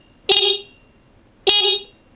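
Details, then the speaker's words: Stock horn on a carbureted Honda Vario Techno 110, before replacement with a dual car-style horn: two short high-pitched blasts with a thin, tinny tone; working stock horn. "suaranya cempreng dan enggak enak gitu jadi bakal saya ganti sama kakson yang dari kajito Indonesia yang suaranya itu kayak mobil Pansa"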